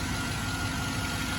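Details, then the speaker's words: 2007 Chevrolet Tahoe V8 after replacing an aftermarket air filter, having earlier cleaned the throttle body and swapped the MAF sensor: steady, even low rumble with no stumbles or hunting; rough idle fixed, now smooth. "oh yeah yeah I can already hear it it's idling a lot better already"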